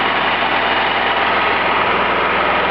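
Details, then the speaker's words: Generator engine on a wood gasifier, after repair of leaking holes, deliberately run slowly at about 2200 rpm instead of the usual 3000 for quieter, more economical running: even, steady low putter with no misses or knocks; running smoothly. "those of you with good ears will probably hear that the engine of running quite slowly normally these gener let us do 3,000 RPM I run mine at 2200 thereabouts it makes it a lot quieter"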